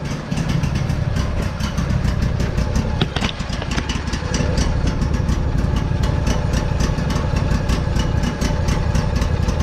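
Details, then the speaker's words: Lawn mower (lawn tractor) after first start of the season on ethanol-free gas, choke now off: steady, even low putter with regular firing and no misses; old engine running normally. "you can see how it started active get the choke off and that's it run it just might be old but it still runs if you kind of take care of it"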